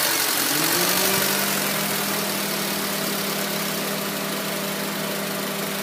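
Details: 2004 Honda Civic LX (7th gen), warm engine: idle sits low and uneven, tone sagging and wavering; rough low idle with hesitation and stalling in traffic; O2 sensor suspected, IAC valve also suggested, unconfirmed.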